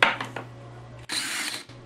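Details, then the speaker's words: DeWalt DCD778 18V cordless brushless drill that stopped running after a fall, tested after reseating a loose motor connector: crisp, even high whir for about half a second between clicks, smooth with no stutter; motor runs normally. "we go now that's fine so in other words it'll just as connected that it worked itself loose"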